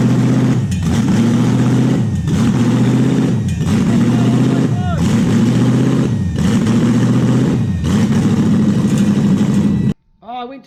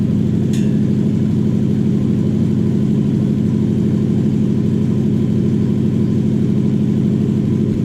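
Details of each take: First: Toyota 1UZ-FE V8 just started: idle rises and sags in a steady cycle about every 1.5 seconds, hunting as the IACV idle stepper motor runs its reset process. This is the stepper reset, not yet a confirmed fault. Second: Toyota 1UZ-FE V8: smooth, even idle with a steady low burble and no misses, hunting or hissing leak.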